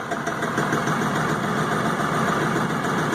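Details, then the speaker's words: LS XR4155 tractor diesel at idle, throttle fully down after uncommanded high idle: uneven lumpy beat as if one cylinder drops out; misfire suspected, cause unconfirmed, possibly water in fuel. "it's missing on a cylinder throttles all the way down let me grab it and I'll throttle it"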